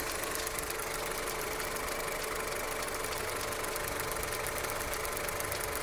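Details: Skoda Octavia Tour 1.4 16v, 630,000 km, hot after half a day's driving, no error codes, running smoothly at idle: steady light tapping about three per second over the engine; knock of unknown origin, cold start check planned.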